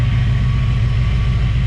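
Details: Chevrolet Caprice V8 with a deep, steady, even idle and no valvetrain ticking after a cap, rotor and water pump replacement. The earlier suspected lifter failure or bent pushrod is now attributed by the owner to cap and rotor buildup.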